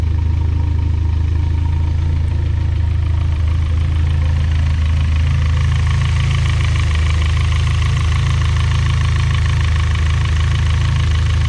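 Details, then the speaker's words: Built engine at idle right after changing from 20W-50 to Valvoline 5W-20 oil: a steady idle with a light, even tick about three per second, just as loud if not louder than before: valvetrain lifter tick at idle. "it sounds just as loud if not louder in my opinion uh so that was a loss"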